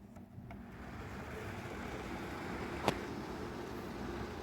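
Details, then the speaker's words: NuTone bathroom exhaust fan, previously very loud, running after cleaning, greasing and reassembly: low even hum with one brief click, no rattle or grinding; motor now smooth and quiet. "putting out a nice amount of heat or uh air there's only one more thing that really smooth really quiet"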